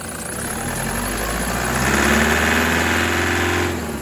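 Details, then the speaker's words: 2008 Toyota Prado 120 with 1KD diesel, brand new engine, new turbo and injectors, cold start at about 5°C: steady, fairly even clatter about three knocks per second with gentle revs; normal cold injector knock until warmed past 83 degrees. "I'm basically attempting to make the engine make a bit of noise so that you know that even if you've got a new engine or an engine in as new condition and new injectors, when it's this cold, that's what it can sound like."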